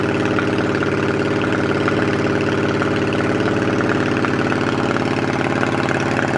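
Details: 2008 Yamaha V-Star 650 carbureted V-twin, spring 2014 first start after winter storage with fresh gas and carb cleaner, on choke: loping but steady idle, even beats around three per second, no knocking or stumbling; normal cold idle.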